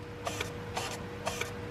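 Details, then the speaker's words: Cheap V10 with low/short-to-ground circuit codes, bank one intake manifold runner actuator commanded on: crisp paired mechanical clicks about twice a second over a quiet background; actuator cycling normally. "intake manifold runner bank one you should be able to see that at the front of that oh yeah you can see it"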